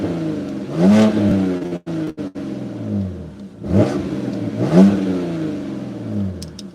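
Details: BMW 325xi, first start right after flashing the 330xi tune for the three-stage intake manifold, out of gear, with no check-engine codes. It catches cleanly and gives two crisp revs back to a steady idle. Normal start and rev.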